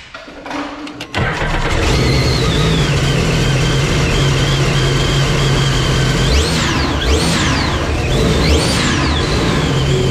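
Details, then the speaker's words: Stage 2 Sea-Doo RXP personal watercraft started indoors under a tall ceiling: short crank, catches and settles to a firm even idle with no misses or knocking; normal start and idle. "i think the skis sound different up here it sounded pretty good to me i think it's a tall ceiling"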